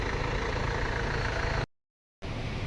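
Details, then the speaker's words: Mercedes-Benz CLS W218 after repair of engine knocking: steady, smooth idle with even low hum and no knock; revs up well, temperature okay. "เร่งขึ้นดีครับเครื่องโอดๆเลยความลงความร้อนก็โอเคนะครับ"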